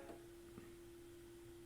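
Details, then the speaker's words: Pioneer SX-1980 stereo receiver on phono 1: irregular soft pops over a faint hum, worsening the longer it is on, also on phono 2. Suspected failing transistors or capacitors in the phono section; controls are dirty. Unconfirmed. "and it was a lot the longer I leave it on the more it'll start popping and making noises um failing transistors uh capacitors something like that in the phono section does it on phone one and two"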